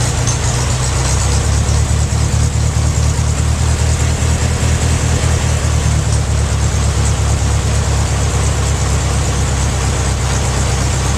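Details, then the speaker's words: Case VAC tractor engine first run on hot-wired key, set on a skid loader, old muffler: low, soft, even idle thump, no knocks or misses, only a faint light rattle; normal idle. "Well, you can't hardly tell, but that thing's running. Got a little rattle there, nothing much."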